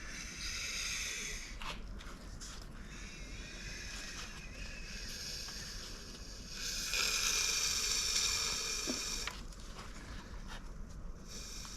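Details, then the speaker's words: Suzuki Cappuccino DOHC turbo F6A engine, out of car during swap into a Suzuki Carry, turned by hand; regular soft airy whooshes of intake and exhaust pushing, no knocks or binding, valve area not binding. "It's cool, you can hear all the intake and exhaust pushing. Alright, so clearly I don't have anything binding in the valve area, so I didn't really mess that up earlier, and that's pretty good."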